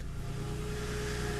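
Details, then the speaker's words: Toyota restarted after about a week sitting and repair work, low on coolant: engine catches and settles to an even idle with no timing chain rattle on start-up; sounds smooth and healthy. "if there's gonna be any timing chain rattle again we'll hear it this time oh did you hear that nothing"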